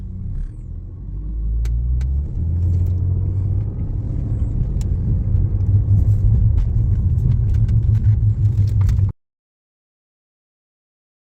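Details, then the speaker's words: E46 BMW after fixing the vacuum leak from a missing valve cover bolt: engine pulls up smoothly under load, even steady note, no misfire as revs climb; check engine light still on, not yet scanned. "now sounds like it's good to be honest there's no misfire I don't see it misfire um seems like the engine is running real smooth"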